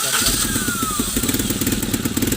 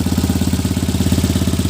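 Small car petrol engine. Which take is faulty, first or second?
first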